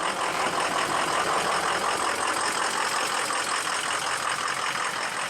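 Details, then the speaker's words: Ford 6.0 Powerstroke diesel after an oil cooler job: rough idle with hissy rush and pulsing beat from dead cylinder 5 (150 psi vs about 390 on cylinders 1 and 3). Smoke, fuel smell, no excessive blow-by; sticking injector suspected, not confirmed. "number five number five is dead could it be an injector i don't know"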